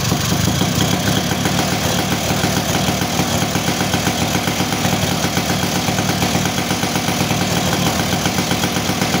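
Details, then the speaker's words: Two-stroke motorcycle that kept fouling/flooding plugs, after reseating and gluing the reed membrane: steady even buzz with crisp consistent firing, no stumbling; power restored, sounds healthy. "oke ya teman-teman eh motor udah enak kembali ya jadi tenaganya juga enak nih jadi di Udah Ee udah kedengaran ya jadi dari suaranya juga enak ya lepas gitu kan"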